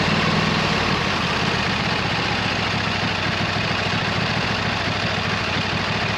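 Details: 26 HP Kohler V-twin on a lawn tractor, idling just after fitting new OEM Kohler ignition coils to cure an intermittent one-cylinder misfire; even, steady, consistent pulse with no misses or stumbles; not perfect yet but much improved.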